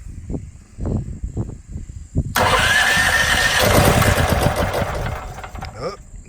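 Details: Firman H05751 dual-fuel 5700 W generator, first start before break-in, with synthetic oil: about two seconds of slow recoil cranking thumps, then catches on choke and settles into a steady, busy run; clean cold start.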